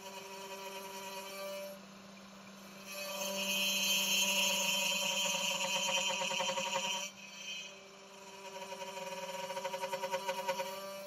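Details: Genmitsu 3030 PROVer Max desktop CNC, stock air-cooled 300W spindle milling aluminium in mini vise with progressive step-down: high strained whine with buzzy rattle on deeper passes; spindle chatter, underpowered spindle reaching its limit, cut not smooth.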